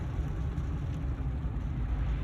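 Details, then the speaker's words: 2015 Ford F350 driving after front hub bearing, rotor and pad replacement: steady low road rumble, no growl, hum or whir building with speed, no vibration; healthy wheel bearings. "So one thing I like doing, first off, can we notice how quiet it is? No more vibration in the wheel. No more noise."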